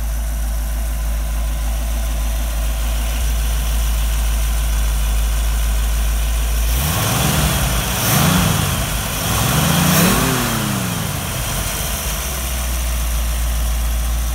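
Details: Rebuilt 1965 283 small-block Chevy in a Model A hotrod chassis, on temporary very quiet mufflers: deep, even idle with a few smooth throttle blips that settle straight back to a steady lope; healthy idle.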